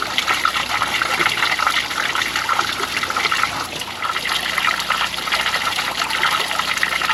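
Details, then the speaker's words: Ram 2500 heater core being flushed with a water hose for low heat, no cleaner used, after a plug or air gap blew out. A strong, steady rush of water at high pressure with no sputtering or surging. Flow through the core is clear. "I don't know if we need to uh run it back through the other side, but if I can, that's a lot of pressure."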